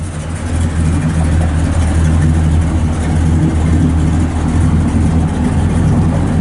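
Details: Restored numbers-matching 1966 Chevrolet Impala SS, 327 V8, 4-speed, aluminum radiator and dual exhaust: a deep, even V8 burble with a steady low rumble and smooth rises in revs, no knocks or misses. A healthy engine and exhaust.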